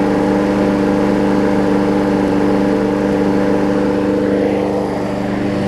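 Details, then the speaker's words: Briggs & Stratton Quantum push mower after saved, cleaned carburetor and resealed; old air filter still on. Running really good: steady, even engine beat at constant speed with no surging or hunting. Normal running. "Running really good now, which is a good thing."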